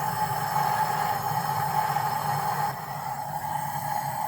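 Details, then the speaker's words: High-mileage BMW E36 M3, S52 engine, leakdown test, engine not running: steady constant-pitch hiss of air pouring out, a draft from cylinder 4; suspected head gasket failure or warped head, not confirmed. "Definitely a head issue. There's like a draft of air coming out of cylinder 4."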